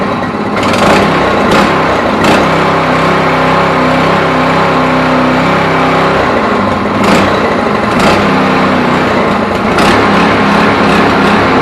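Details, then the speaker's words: Neglected go-kart small single-cylinder engine after a new carburettor and oil change: buzz that revs up and settles back without dying or sputtering; running better, still needs some tuning. "được rồi, dù sao thì cô ấy cũng đang chạy tốt hơn ừm, tinh chỉnh một chút nhưng cô ấy sẽ ổn thôi."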